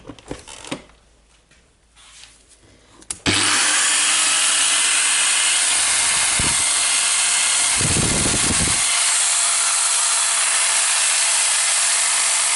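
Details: Milwaukee AGV 15-125 XC angle grinder after replacing controller unit and carbon brushes: quiet start then steady even high whir holding speed without surging; now works normally, though owner dislikes the sparking and runs it longer to check the armature.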